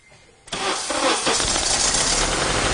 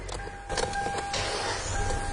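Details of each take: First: Car cranking with the microphone placed nearby; the car has no clear-flood mode: long cranking bursts with an uneven, lopsided rhythm and no catch. Diagnosed as a definite compression problem. Low compression. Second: Car started after its battery was reconnected, once diagnosis was finished: quick crank whir with a faint steady whine, then the engine catches and settles without hesitation; a normal, healthy start.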